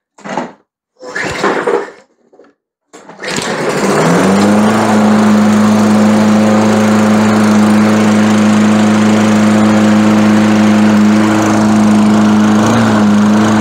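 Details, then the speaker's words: Lawn mower engine after fixing wrongly reassembled linkage, blamed on user error: a few handling knocks, then it catches and settles into a steady, even hum at constant speed; runs smoothly, sounds good. "Dia terdengar cukup bagus. Jadi kita sudah selesai dengan itu."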